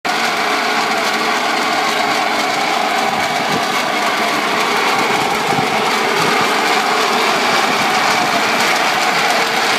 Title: Cooling Tower Loose Belts Bad Bearings